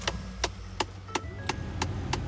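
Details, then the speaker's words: 2011 Ford F-150 with HVAC on: steady sharp knocks, about three a second, behind the radio over a low fan hum, from a failing blend door actuator due for replacement. "i also bought a actuator because when i turn it on it starts knocking i can hear the knocking behind the radio system so i'm going to replace it later"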